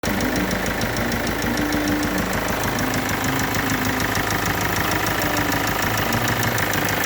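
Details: Kia Sportage 2.0 CRDi diesel at idle: fast, light metallic ticking over the diesel clatter that keeps pace with engine speed, from failing hydraulic lifters (tappets).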